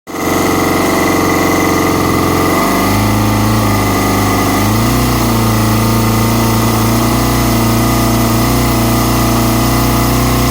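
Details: Kawasaki ZX-6R inline-four motorcycle engine running a little unevenly, idle speed wandering up and down; a vacuum leak is suspected, not confirmed.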